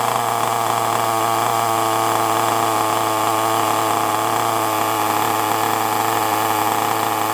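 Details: FTX Carnage nitro RC car: small nitro engine buzzing steadily at a high, even pitch with no misses or sag; it holds its idle cleanly and sounds healthy.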